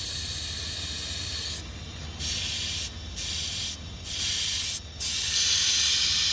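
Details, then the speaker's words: Pickup with a suspected boost leak, tested at about 20 psi with a homemade regulated tester: loud, sharp air hiss in stop-start bursts from an open boost hose end, to be fixed by clipping the hose end. Boost leak. "you got a lot of pressure leaking out of there so we're gonna have to we'll just clip the end of that hose off there we'll fix that"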